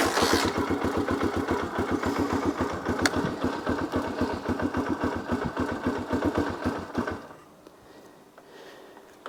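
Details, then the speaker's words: 1982 Honda XL250R single, cold, on a little choke, after oil-leak repair and a new battery: steady cranking pulses about three to four per second for seven seconds, reluctant to catch; hard cold start. "It's not liking being cold. There we go."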